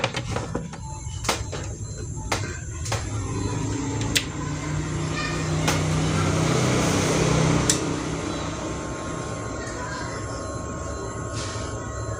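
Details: BMB amplifier after resoldering many cracked PCB tracks: sharp irregular crackles and pops over a low hum right after switch-on, then a rough hiss. The right speaker channel crackled before even at minimum volume; the cause is suspected, not confirmed.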